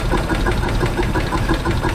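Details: WC54 3/4-ton Dodge ambulance, first start after 20+ years of storage, with a new carb on a temporary fuel supply and a choke that keeps closing: sharp regular knocks about six per second over a rough low idle; possibly not firing on all cylinders, engine knock.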